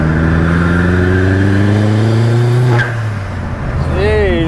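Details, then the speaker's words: Car after replacing a failed turbo with a new KRS unit, which previously gave no boost, on-road pull through the gears into third: strong, clean pull with engine note climbing steadily then easing off; boost builds normally with no hesitation. "I know she's pulling sweetly again. >> Yeah, man. >> Oh, I definitely missed that >> from the last time we had had nothing. No boost. >> Yeah, >> now she's pulling beautifully again."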